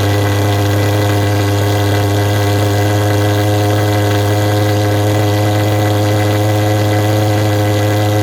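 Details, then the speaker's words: Vectorfog H100SF pulse-jet thermal fogger, new in 2022, after a start button held for about 8–10 seconds: a loud, constant low buzzing drone at a steady pitch with no sputter or popping, so it is running normally. "you gotta hold the start button for about you know eight to ten seconds you'll hear it fire off it might pop and snap a couple times once it's running you'll know it"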